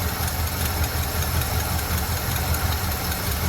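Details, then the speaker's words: Chevy C30 square body Mason dump bought inoperable from Copart after an under-hood fire melted the harness and carb, first start after priming the carb: steady V8 idle with a light irregular tick tick from the unsealed, pinched-shut exhaust ports. "We got to seal off our, I just pinched them shut. We got to seal them up. Hear that little tick tick from the exhaust."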